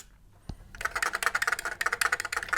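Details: Original keyboard of an Atari 800 XL, possibly a rare keyboard variant, being typed on: a quick run of crisp, even key clicks at about eight per second, none sticking or dull. The keyboard works normally.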